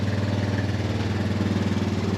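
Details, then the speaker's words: Honda Recon ATV after carb cleaning, old gas removal and cylinder head swap: steady even single-cylinder idle, no misses or knocks, no smoke; normal idle. "yep nice yeah she runs no smoke sounds good"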